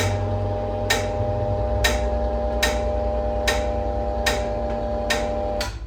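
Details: NordicTrack treadmill gives a sharp metallic ding about every 0.8 seconds over a steady motor hum while inclining or declining, loaded or empty; loose incline motor mounting bolts, frame screws or an unlubricated incline bar suspected.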